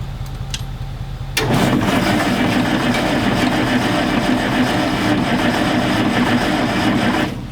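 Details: Galion T500 motor grader sitting in woods since 2007, after tightening a loose connection nut: about six seconds of steady starter cranking, engine turning over but never firing; cranks but won't start.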